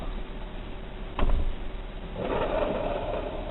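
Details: Failed alternator removed from an 1982 GMC C20 with 350 small block, hand-spun on the bench after a handling thump: dry, gritty whirr from worn bearings, backing plate loose with lost bolts; bearing wear suspected, not confirmed.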